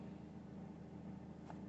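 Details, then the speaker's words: VW Crafter diesel with P0016 cam/crank correlation fault and hot-start stalling, after a new crank gear pulley and cam belt: steady, even idle while warming up, smooth low hum, no knocks, misses or stumbles. Normal idle. "The van is now starting and we're just letting the temperature build up and we're going to drive it around for the day and see how it goes, if it's going to cut out and if it's not going to restart."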